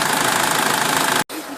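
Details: 2009 SsangYong Kyron restyling diesel, hot engine with fan on, idling on flushing oil during an oil change: soft, even patter with no knocks or misses; smooth, healthy normal idle.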